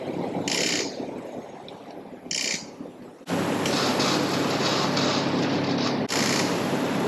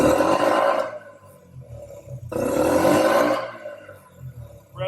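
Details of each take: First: Yamaha Raptor 50 ATV on an old dusty battery: two short cranking bursts, then a longer sluggish whirring crank that never catches; slow cranking and no start, blamed on weak battery power and a poor connection. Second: Yamaha Raptor 50 after a carb clean and tune-up, with throttle cable slack restored and the idle screw reset: two crisp throttle blips rev out cleanly and drop straight back to a quiet, steady idle, so throttle response is healthy.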